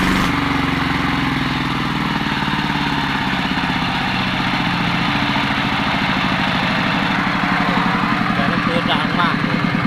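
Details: Yanmar TF115 LM single-cylinder diesel after repair for hard starting (pump plunger and delivery valve replaced; inner bearings not done): steady even idle chug, no misses or knocks; idles normally with good pressure.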